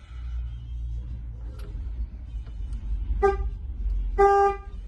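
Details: Ford Topaz horn after repair of steering-wheel contact spring: two clear honks, one short, one longer, steady bright tone over low traffic rumble; horn working normally.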